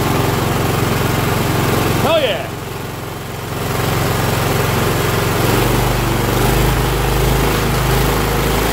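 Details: Cub Cadet LT1045 yard tractor (Kohler Courage 20) after carb, fuel line and plug replacement: catches after a brief stumble, then settles into a steady even beat; formerly surged badly, now runs healthy.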